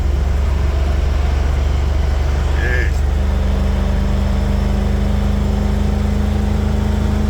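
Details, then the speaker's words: 1996 Ford EFI 460 V8 swap on self-tuning stand-alone harness and ECU, driving under light throttle: deep even drone pulling steadily, good power, no deceleration crackle; normal running under load. "Really good power. Starting to pick up some wind speed too out here, so yeah, barely on the throttle as you can see."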